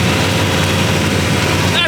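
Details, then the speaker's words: LS3-style V8 swapped into an E46 BMW, first start-up after wiring: deep, loud, even idle with slight cam lope, no ticking or knocking; engine and exhaust sound healthy and tame. "good it's really good man the engine sounds awesome the exhaust sounds so freaking cool i am i'm very happy with that you never know with these motors that they're gonna be screaming or not and that sounds super tame"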